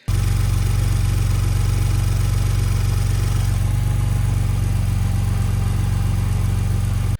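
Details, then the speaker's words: Gen 2 Ford Raptor engine first start after cam phaser and timing component replacement, low slightly uneven rough idle, phaser rattle at start and ticking; misfire codes cleared by PCM adaptation reset, then ran perfectly. "This sounded rough. The phaser seemed to rattle at start and the engine was ticking for a little while."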